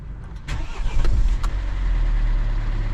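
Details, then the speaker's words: Mercedes Vito W639 with OM651 2.2 diesel, cold start the morning after an overnight cool-down, following timing chain tensioner replacement: short crank, fires at once, settles into steady diesel idle with no rattle; normal cold start. "Yeah, I think it sounds good. It start right away without any rattle sound."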